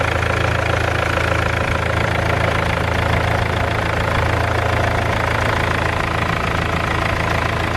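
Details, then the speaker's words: 200k-mile BMW E46 320d Touring, M47 diesel, cold idle just after first start following repairs: steady rattling clatter, three or four beats a second; owner knows of an exhaust leak and suspects the downpipe flexi. "Engine sounds pretty good though. I know we have an exhaust leak. I think the flexi has probably gone on the downpipe."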